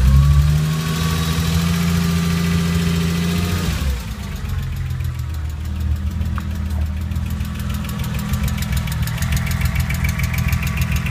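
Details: Porsche 996 petrol engine at first start-up after replacing all tappets on cylinders 1-3, before full set-up; idling with a light, fast tappet ticking over the steady run.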